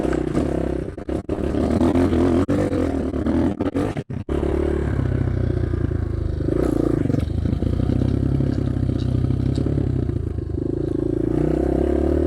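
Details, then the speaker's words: Cheap Amazon 250cc single-cylinder dirt bike runs much better, thumping evenly and picking up cleanly when blipped; popping heard is an audio fault, not the engine; idle jet 40, could drop to 38. "This thing runs so much better."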